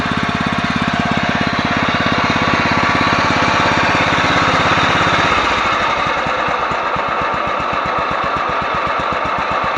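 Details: Yard-Man 15 hp riding mower with 42-inch deck, revived after sitting outdoors, freshly fueled and started with the brake on: steady, even single-cylinder idle with no misses or stumbles. Normal, healthy idle after repairs.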